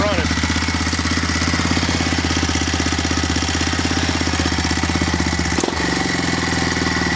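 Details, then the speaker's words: 2010 Honda Rancher 420 with a 2020 Foreman 520 cylinder conversion, stock 420 fuel system and 53% gear reduction, on first start. Fast steady idle with a busy, uneven clatter over it; something at the rear end is rattling, cause unknown. "alright guys making a little bit of noise on the backend sounds like there we'll figure that out it runs"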